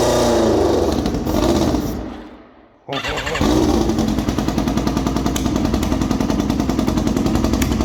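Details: Formula 4 race car running on alcohol fuel, after an O-ring was replaced to fix a fuel leak and the engine was restarted: after a brief dip it picks up and holds a steady, even idle with a crisp rapid beat and no misses; normal idle.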